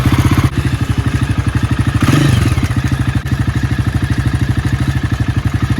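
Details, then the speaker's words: Low-mileage Jawa 42 with bend pipes running straight from engine to exhaust: fast evenly repeating thuds at idle with a throttle blip midway; major engine clatter, cause not found, said to affect more than one bike. "इस बाइक की जो engine sound problem है सुन सकते हैं।"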